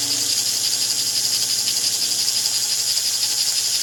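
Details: 1949 American Flyer #322 Hudson locomotive motor, after fixing armature bounce and backing off over-tightened screws: a steady, high, buzzy whir with an even fast flutter and no labouring; it runs okay, though the darkened field coil may be scorched.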